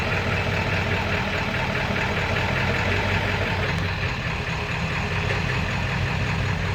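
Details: 7.3 diesel rough runner with no power, switched from high idle to street mode: heavy uneven knock through dense clatter, owner says sounds like rod knocking; EGTs good, cause unknown.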